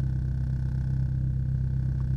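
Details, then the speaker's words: VW Jetta A3 (coil-burning problem), about a week after the fix. It used to start unstable on some mornings and needed throttle; the cold engine now settles by itself into an even, steady hum. Normal idle. "se corrige una fallita que traía en las mañanas no era siempre pero como que ha arrancado inestable tenía que acelerar y ya se emparejaba y ahorita ya solito agarra su paso"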